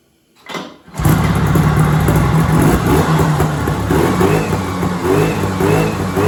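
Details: 1970s Sno-Pony snowmobile, 340 twin-cylinder two-stroke, first start after sitting 20–30 years with a rusty tank and hard fuel lines: catches after a brief crank, then a crisp buzzy rhythm picking up cleanly with throttle; engine runs well.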